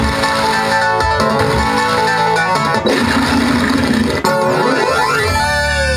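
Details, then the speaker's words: 1992 Williams Whitewater pinball sound board: clean 8-bit low-sample-rate music and effects play without crackle, dropouts or distortion; working properly. "believe it or not that's what the sample sounds sound like are supposed to sound like they're 8-bit they're probably using a real low sample rate because there's no compression on these"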